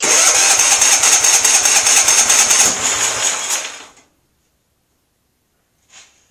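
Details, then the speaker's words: MTD lawn tractor from auction, borrowed battery and starter fluid: sluggish, even cranking at a couple turns per second for about four seconds, then quits without firing; slow crank, no start. "there we go didn't sound good"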